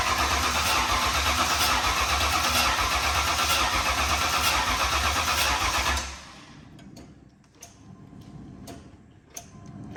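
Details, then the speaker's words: Newly built Ford Mustang Foxbody/SN95 5.0 V8, just installed with BBK headers, fuel confirmed reaching it: steady fast cranking for six seconds with no firing; cranks but won't start, no spark suspected ("don't hear it snapping"). "hold on let me see if we're getting sparked okay try it [Laughter] I don't hear it snapping"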